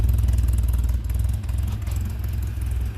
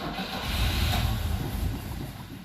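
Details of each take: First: Four-cylinder engine restarted after much fuss, briefly backfiring: it settles to a low, even idle with a steady beat and no skips. Oil pressure, voltage and tach signal are all present, all four cylinders firing; normal idle. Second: Manual-clutch vehicle cranked after several gas pedal pumps, electric fuel pump audible: low uneven starter churning for a few seconds without firing; cranks, no start; cause unconfirmed.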